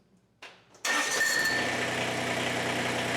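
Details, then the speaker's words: Kubota BX25 diesel tractor, warm, started without touching the throttle after replacing the fuel shut-off solenoid that caused extended crank: quick crank, catches right away, steady even idle; normal start and idle. "actually not a bad fix so uh that's it uh not much to this video but uh and now no longer is a hard starter and no longer has that extended extended extended"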